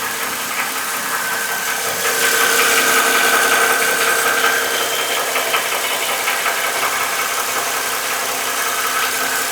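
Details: Hot Mercedes M272 (S211) at idle just after an oil change with an engine flush, Liqui Moly Molygen 5W-50 and a Mann filter. A light regular valvetrain tick, two or three a second, is still present, perhaps slightly lower-pitched and quieter.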